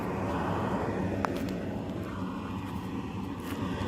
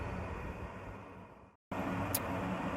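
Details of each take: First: Home radon mitigation fan exhaust stack recorded on the roof before the noise-reduction fix: a constant loud, low, rhythmless drone like a plane overhead, audible from the driveway. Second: Roof-mounted home radon fan after doubling the exhaust stack length: steady soft rush of air with only a faint low hum; the former airplane-like noise is largely gone, fan sounds quiet and smooth.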